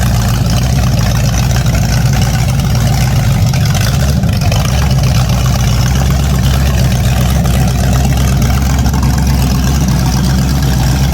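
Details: An 010 350 Chev small-block V8 on an engine stand, first run for a period HQ sedan rebuild. Deep, steady burble in an even rhythm with no knocks or misses. The carby sounds good; normal idle.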